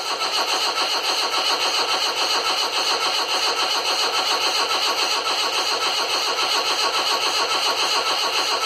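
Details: Land Rover Series 2a 88 with 2.25 diesel, first start after fuel and electrics setup: steady rapid cranking churn just under two beats a second, no catch into running; turns over but won't fire.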